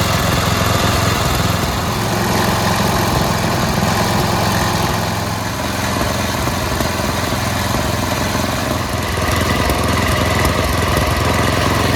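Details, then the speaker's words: Yard Machines MTD 824 snowblower, 8hp Tecumseh Snow King engine, after carburetor pilot jet cleaning, Seafoam in tank, idle screw and governor-to-throttle linkage adjusted: small single-cylinder holds a steady, even putter at idle with no hunting; normal idle. "dialed in the idle Jet screw uh the idle screw so that it idles well"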